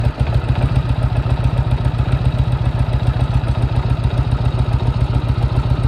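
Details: 1998 Harley-Davidson Road King at idle: heavy, regular low knock about three to four per second, locked to idle; first thought rod, found loose compensator nut in primary drive; fixed with threadlocker, torqued 160 ft-lb.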